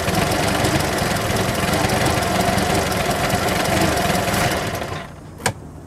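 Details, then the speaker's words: Boat carburetted engine on sea trial, after running at 1500 rpm with 60 psi oil pressure, runs fast and rattly, fades and dies after about five seconds ending in a click; owner thinks a clogged carburetor is starving and stalling it. "right after I turned the camera off the boat die I don't know what the problem is show you what it does"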